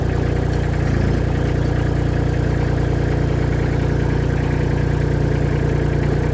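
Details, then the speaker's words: Mini skid steer (V1000) diesel after repair with a new ignition switch, first start after preheat: steady, even idle with a regular low chug of about three to four beats a second, no knocks; sounds healthy. "Start. Look at that. Beauty."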